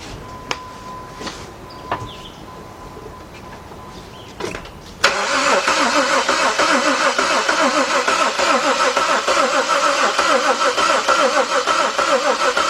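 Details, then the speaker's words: 2003 Jeep Liberty Sport 3.7 V6 after a partial engine rebuild, fuel pump fuse pulled to crank and circulate oil before first start; steady, even cranking at about 200 per minute with no firing; cranking without starting. "alright hopefully these batteries got enough in it to crank this engine over let's find out"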